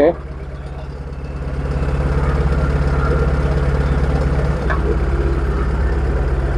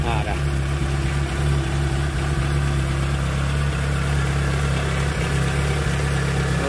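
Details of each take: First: Proton Wira petrol engine, warm after about 5 minutes driving, stumbling/surging at speed: idles uneven and pulsing with brief stumbles; ignition suspected, coil seen arcing (leaking spark) when touched, causing misfire. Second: Proton Wira after repair with the spark plug wires refitted (leaking ignition coil found earlier; it stumbled once warm after about 5 minutes' driving): engine idles smoothly with a steady, even hum, RPM needle stable, no shake when revved.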